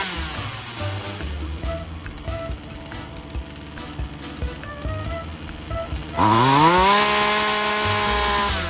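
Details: Poulan Wild Thing 2375 chainsaw after replacing fuel lines and primer bulb and cleaning; fires at about six seconds, revs quickly, holds steady high two-stroke buzz; running hot with throttle raised, any bogging means further adjustment needed.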